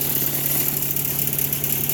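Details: Craftsman 4 HP wood chipper/shredder single-cylinder engine with a new replacement (Chinese) carburetor, warming up after an easy start: quick, even putter and steady hum, no misses or surging; normal idle.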